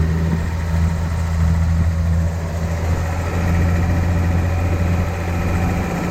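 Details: 1972 Datsun 240Z, sitting since 1995 and being revived, with SU carbs and a primed fuel system; it previously ran poorly. The engine catches and settles into a steady, even idle with a low constant hum and no misses or knocks.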